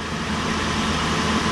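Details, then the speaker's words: Wheel bearing heard through a mechanic's stethoscope: smooth, even rushing hum with no grinding, clicking or rumble; judged a healthy bearing, compared against the other side's bearing. "ese valero se escucha bien a la experiencia que yo tengo el balero se escucha muy bien"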